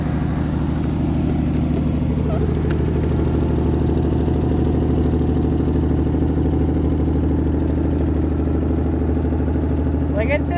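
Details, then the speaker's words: 1981 Mercury Capri at idle with emissions equipment fitted, catalytic converter apparently cut out and glass pack not welded in properly: sharp puffing tick on every firing pulse over low rumble, an exhaust leak. "It's got an exhaust leak. And it's got a glass pack underneath that is not welded in properly. But, like, it's just singing away up here."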